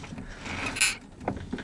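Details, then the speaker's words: VAZ Zhiguli (classic Lada), car standing while a helper turns the steering wheel, listening at the steering box: a few dull, irregular clunks, stronger when driving; owner suspects the steering gearbox; steering clunk when turning. "побольше Крутани его Вот как раз таки когда едешь Эти звуки еще сильнее становится видите"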